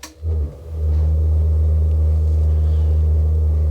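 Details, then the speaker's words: Truma gas heater in a camping-car, burner starting cold: the fan starts, then a low steady rumble that vibrates a bit on startup before running evenly with no banging; exhaust found not tightly fastened; normal burner running. "et là j'entends bien la ventilation qui se met en route il démarre alors qu'il vibre un peu c'est un peu normal au démarrage il est froid"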